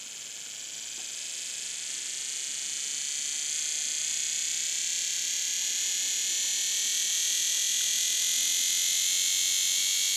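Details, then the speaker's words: Model locomotive motor removed and run free at full power on a test board: thin high-pitched whine rising slightly, ammeter steady without spiking; owner says something is wrong on the bearing. "it's not spiking literally something wrong on the bearing"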